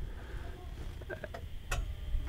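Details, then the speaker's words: Greenworks CU800 electric UTV (82V, 16kW): ignition key turned fully on and held until one sharp click in a quiet background, showing the ignition engaging normally and the vehicle ready to drive. "and you should hopefully hear that click so you can then let go of the ignition key and you're pretty much ready to go"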